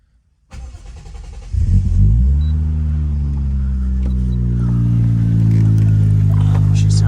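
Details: Toyota JZX90 Cresta 1JZ after hydro fan delete, JZX100 Koyo radiator, 2JZ water pump and clutch fan, timing components and front seals replaced, system filled with water: cranks, fires, settles into steady even idle, no knocks or misses; healthy.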